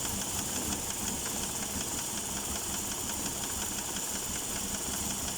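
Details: Chery Elara 2.0 at idle, oil pressure light off: a light, fast ticking knock over a hissy background, steady with the idle. Engine knock; a hydraulic lifter is suspected, cause unconfirmed.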